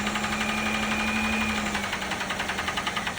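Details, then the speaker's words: 2006 Pontiac G6 at auction: idle carries a light quick tapping about three or four a second over the engine hum; started right up and moved forward and back; cause unknown. "Started it up with a gun. You can hear it tapping. It did start right up, moved forward and backward."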